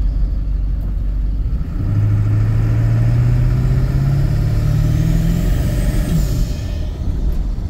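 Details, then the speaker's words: Ford Excursion 7.3 diesel after wreck rebuild with new water pump, driving: deep steady diesel drone rising smoothly with road speed, faint turbo whistle over it; normal, healthy running. "sounds good dries good"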